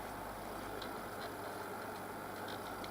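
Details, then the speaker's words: Logik L20DHW12 dehumidifier that would not power up, running after repair: steady, even low hum with a few light ticks and no rattle or labouring; compressor running normally. "so apparently it works we leave it running for a couple of hours put it into the house"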